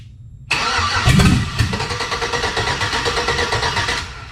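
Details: Chevy V8 swapped into Jeep Comanche, spark confirmed and fuel pressure present: starter whirs about three seconds with even cranking pulse, barely fires and no cylinders catch; cranks but won't start, cause unknown.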